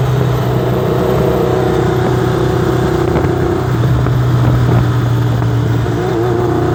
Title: Testing misfire